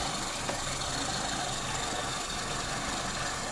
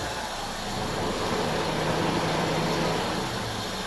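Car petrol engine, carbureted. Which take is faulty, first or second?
first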